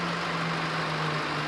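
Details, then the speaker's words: 2012 Chevrolet Z71 with 2.5 L engine, brought in on a tow truck with a no-start, now running after repair: even, steady diesel idle with a smooth low hum, no knocks, rattles or hunting; normal idle. "อ้าอ้าเรามาบังเสียงด้านนอกกันนะครับนี่ก็ไม่มีเสียงเพจนะใดๆไม่มีเสียงเค้กไม่มีเสียงอะไรปกติขึ้นมาครับอันนี้นิ่มเลยนะนิ่งเลยคันนี้นะ"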